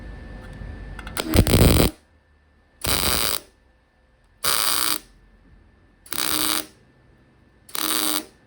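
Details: MIG tack welding a Mark IV Ford Escort body onto a Mazda MX5 chassis for an RWD body swap: five short crackling half-second bursts building too thick a bead. Welder suspects wire speed is a bit high and plans to turn the temperature down.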